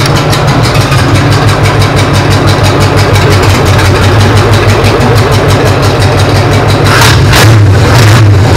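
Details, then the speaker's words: P48 project engine, first start after routing fuel lines, fitting plug wires and setting timing, no coolant yet: deep steady idle for nine seconds, smooth even beat, no knocks or misses; normal idle. "I got them temporarily thrown in place so I could start this thing and what it sounds sounds really good so I'm going to start it up for you guys so you can get a look at it and hear how it sounds"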